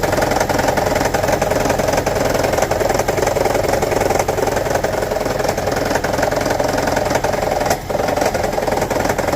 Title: Toyota Prius 1.5 Hybrid 2009: Rattling, Misfire P0304 DTC Troubleshooting